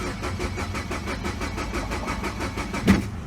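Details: 2012 Mini Cooper Countryman 1.6L four-cylinder, towed in, no check engine light or codes: steady rhythmic cranking about four pulses a second, never catches; crank-no-start, RPM needle moves so crank sensor reads.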